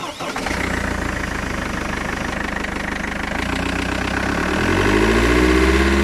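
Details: Mercedes W211 E200 CDI with OM646 diesel: after starting, it idles with a fast, fairly regular rattle over the diesel knock. Air filter box and hoses were checked and are OK; owner suspects an intake issue. Source unclear.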